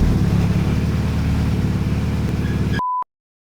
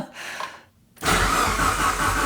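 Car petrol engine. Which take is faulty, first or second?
first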